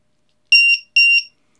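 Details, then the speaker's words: Lithium battery tester with low-voltage buzzer checking a pack cell by cell: two loud, shrill beeps as the alarm warns that one cell is weak. "alors voyez l'une des cellules est faible et c'est comment il fait du bruit"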